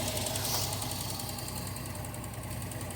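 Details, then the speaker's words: Datsun 280ZX with a sudden bad misfire, engine still cold after valve adjustment, no vacuum-leak hissing; uneven stumbling idle and random misfire heard in the exhaust on revving, owner suspects coil or ignition control module. "It's a random misfire on the cylinder. It's not like one cylinder is completely dead or something like that. You can even hear it in the exhaust. So yeah, if I give it a little bit of a rev, you hear it."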